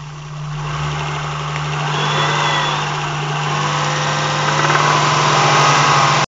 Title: Rattle sound